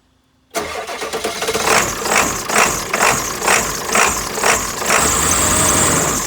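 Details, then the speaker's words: 7.3 Powerstroke diesel truck with 430,000 miles and a replaced engine, started with no batteries from a NOCO GB150 jump pack: quick crank, then an uneven loping idle, rough running that improves once warm. "the truck is you can hear it loping and stuff it's not it's not a new truck it's it's an old truck"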